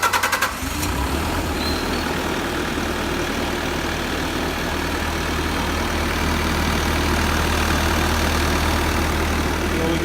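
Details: Bobcat S630 skid steer, Tier 4 diesel, started after oil and filter change to fill filter and check for leaks: brief start-up settling into steady even low idle drone, no knocks or misses; no leaks found.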